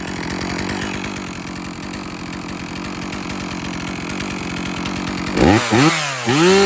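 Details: MS 460 Magnum chainsaw after rebuild (original crankcases; new muffler, top end, piston, ring, carburetor, fuel filter), already warm: steady even two-stroke buzz at idle, then crisp throttle blips rising and falling cleanly; healthy, slightly rich.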